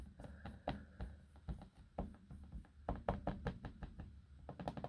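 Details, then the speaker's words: Dell XPS 15 9500 (2020) laptop after two weeks of use, scrolling without clicking: soft irregular tapping knocks, a few per second; the wobbly trackpad rattles loosely in its frame. "That's basically the wobbly trackpad, if you get what I mean. You can clearly hear that, I hope. I ain't clicking it. I'm not clicking it. I'm just scrolling as you do."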